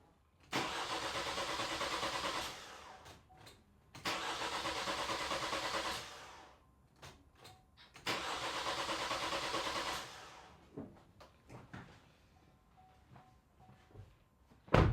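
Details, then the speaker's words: 2018 Vauxhall/Opel Astra K 1.6 CDTi with intermittent start and codes U18A2, P12A6, after a new fuel filter: starter cranks in three two-second bursts, no fire, pump not heard running, fuel pressure only 4 MPa; fuel pump control module fault. "happens I can't actually hear the pump run so let's go back to our test and see if we can get that pump to run when it's acting up"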